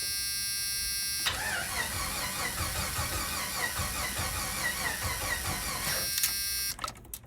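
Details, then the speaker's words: 1991 Jeep Wrangler 4.0 L high output, sputtered out then wouldn't restart: about five seconds of steady cranking, no firing; crank position sensor suspected. "things that can cause no spark. One of them being the crank position sensor. Now, if it's the crank position sensor, we got to watch tachometer, check the RPMs while we're cranking."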